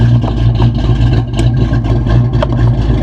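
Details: 1993 Ford Mustang GT convertible, manual, bought at auction: a deep, choppy idle that lopes and surges unevenly; owner suspects an aftermarket cam and that it is running poorly, not confirmed.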